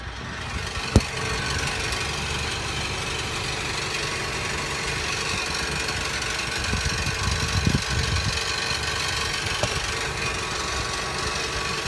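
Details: 2017 Nissan NV200 SV cargo van idling steadily with a busy, tinny rattle and a few sharper clicks; cause of the rattling unknown.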